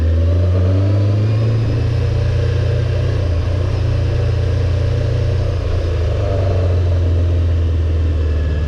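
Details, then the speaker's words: Honda CBR600F4 motorcycle on a ride after a carburetor rebuild, carbs not yet adjusted: engine note climbs, then sags and stumbles before picking up under throttle; hesitation when opening the throttle. "That is a no bueno. You do not want that when you're riding. See? Put the throttle and it's coming, and it's not."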